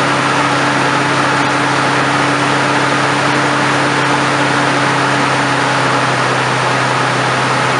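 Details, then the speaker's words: 1997–2007 Ford F-150 4.2 V6 cold start after fan clutch installation: even, steady idle with constant fan rush, no knocks, ticks or squeals; engine and new fan clutch running healthy. "I'm going to go do a cold start and uh see what this thing does"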